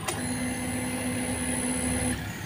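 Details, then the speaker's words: Motorcycle fuel pump running on a power-up voltage regulator set to 14.5 V: steady, even hum with constant high whine, louder and stronger than on the stock 11.2 V battery; healthy operation. "Jadi, bisa dilihat sendiri, Mas Bro, untuk suaranya tuh lebih ee apa ya? Lebih keras yang 14,5, Mas Bro, ya."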